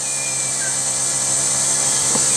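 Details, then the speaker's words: Rover 75 CDT diesel after fuel filter and lift pump service, ignition on, engine not started: thin steady high-pitched whirr as the self-priming lift pump primes the fuel system; expected, normal. "I'm not gonna start the car so the system is supposed to be self-priming that's whizzing making some wiry noises"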